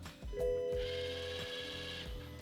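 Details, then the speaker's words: 2021 Toyota GR Supra being rebuilt after an auction wreck, key-on after re-soldering a fuse so the DME communicates: a short electric whir of about a second, the valvetronic eccentric shaft motor actuating, then quiet. "The eentric shaft motor. I just heard the eentric shaft motor moving."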